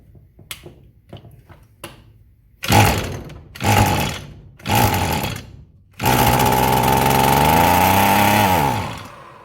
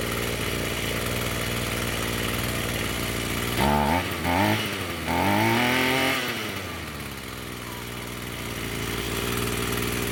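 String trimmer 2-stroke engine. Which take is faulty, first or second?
first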